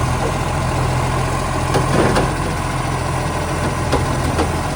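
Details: Garbage truck SL757, a spare truck that has started slamming, at idle: loud, rough diesel idle with a harsh throaty rumble louder than normal from an exhaust leak.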